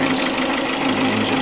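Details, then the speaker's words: Plymouth Breeze/Neon 2.0 L idling after used water pump and timing belt fitted following belt break: dull, rapid knocking under steady hum; owner hears crankshaft bearing noise. "but unfortunately as you can hear in the background it's need that noise so all things weighed in it's a good enough engine to drive around in but I can hear the bearings crankshot bearings"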